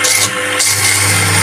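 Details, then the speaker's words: Repaired 14kg clothes dryer (spin) motor, fixed after a burnt, shorted winding, loaded with pliers: strong, even mains-frequency hum with a steady whirr, no drop or labouring; too strong to be stopped, running healthy. "Wow, sangat kuat sekali tenaganya, tidak mau berhenti pakai tang sampai begini."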